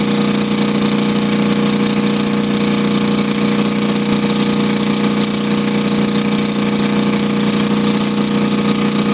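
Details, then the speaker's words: Kohler KD425-2 diesel in cold weather after leaking fuel lines were fixed: steady, loud clatter at constant speed, firing evenly with no hunting or misfires, a slight two-cycle-like tone. Normal idle. "right there, I can hear a little bit of that two-cycle tone I was talking to you about. Kind of hard to hear the engine talk."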